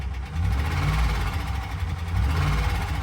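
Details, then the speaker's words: Deep uneven idle rumble with heavy, irregular low knocking from the 4.0L engine of a 2011 Ford Ranger at 151,378 miles; internal engine knock, source not pinned down, with electrical issues (dead battery or alternator suspected). "And it would have really been a big suck to get this in the driveway making this noise and, you know, paying up for it."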